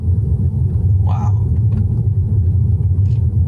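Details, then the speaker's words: Tesla Model 3 driven down driveway lip after lubricating the upper control arm joint to fix a known squeak: only low steady road rumble, no squeak or creak; quiet suspension. "going down my street it would make the sound I know it would make it but nothing that's so awesome man"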